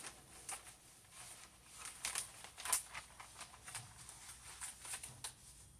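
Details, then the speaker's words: Videojet Dataflex Plus 6420 107mm printer, first test run with air pressure applied after replacing the timing belt and linear slide: a quiet run with light scattered clicks and soft carriage swishes, no earlier audible noise; normal print cycle. "applying air pressure now I don't hear that audible noise um so I'm gonna be paying attention for it"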